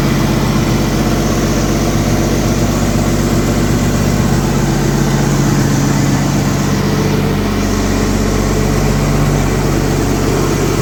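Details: 1964 Chevy II Nova straight six, sat about a year, running after wiring repairs and cleanup; steady idle with an even, low rumble and no knocks or misses; normal healthy idle.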